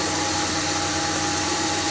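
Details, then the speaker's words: Car engine at steady idle with a constant thin high whistle under the hood; belt, pulleys/rollers or release bearing suspected, located by listening with a stethoscope or hose; cause not confirmed. "не знаю слышно на видео или нет но слышно отчетливый фиск двигателя как его найти"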